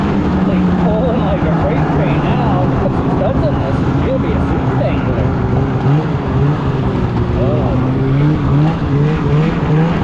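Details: 2016 Polaris Indy 600 SP two-stroke snowmobile after plugged fuel filter fix and new Ultimax belt, grass dragging without snow: wail climbing steadily under full load, no bogging or stumbling, hitting needed rpm; normal full-throttle run.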